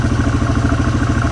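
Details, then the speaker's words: 2006 Polaris Hawkeye 4x4 single-cylinder ATV, started after sitting 10 months, idling on choke while warming: a light regular knock, about ten per second, riding on the beat. The owner attributes it to the clutch. Knocking at idle. "I don't know if you can hear it got a little knocking in there that is the sound of the clutch"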